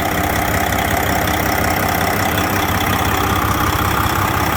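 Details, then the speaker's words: 2007 Freightliner Detroit Series 60 14L diesel over a year after backyard rebuild, EGR retained; loud even idle with steady beat under heavy fan roar, no knock, no head gasket leak or water loss: healthy running engine. "No head gasket leaking, no engine knocking, sputting, spittering, whatever the hell you want to call it, coughing, sneezing, no nothing, man. Just a good old running engine."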